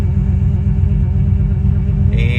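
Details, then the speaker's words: Vehicle after fixing code U0107 (lost communication with throttle actuator control module) by repairing grounding; check engine light gone: low, even rumble idling at correct speed. Normal idle after repair. "But anyway, should start up. And you can see here it's idling where it should be."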